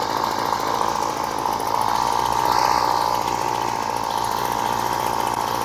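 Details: Flymo Maxi Trim strimmer, an older two-stroke pull-start unit with a known choke problem. On part choke it buzzes unevenly and the note wavers and surges; pressing the throttle barely revs it. Rough running on choke.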